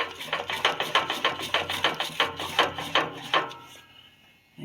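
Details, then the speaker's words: 1998 Ford F-150 engine, stopped with the transmission off, rocked back and forth by hand at the flywheel; sharp metallic clacks about two or three a second from a bad connecting rod bearing (rod knock), with clutch and flywheel undamaged. "that's our connecting rod no good"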